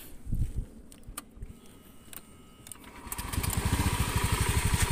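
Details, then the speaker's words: Honda Scoopy after replacing the broken non-standard piston with a standard K44 piston: starts straight away and settles into a steady, even putter with no knock or rattle, no oil seeping; normal start and idle. "untuk mesinnya sudah halus untuk mesinnya halus tidak seperti kemarin starter langsung jereng oli juga tidak ada yang rembes"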